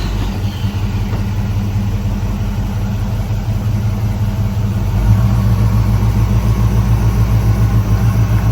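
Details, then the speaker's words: 1965 Ford Ranchero V8 after new cam, lifters and timing chain to cure a valvetrain tick: deep, even drone held at about 2,000 rpm for cam break-in, no ticking or knocking; runs smooth and healthy. "So it sounds good. We're gonna let it run at 2,000 for about 20 minutes, break the cam in, and then we'll drop it back down, check the timing, do all of that stuff, and then go take it for a drive."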